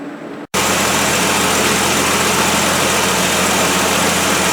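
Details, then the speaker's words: 1973 Plymouth Duster 225 Slant 6 after swapping the 1-barrel carburetor for a factory two-barrel iron intake with an adapter plate and a Holley 350 cfm two-barrel: steady, even 800 rpm idle, smooth hum, no ticking or puffing; normal idle. "Now there you go. A nice 800 RPM idle."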